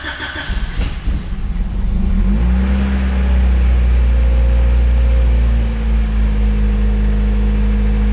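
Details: Honda CRX VTEC with only 1,400 km, mechanical restoration finished, started with the key: brief crank, then it fires cleanly and holds a high, smooth, even idle with a steady low rumble; a healthy start.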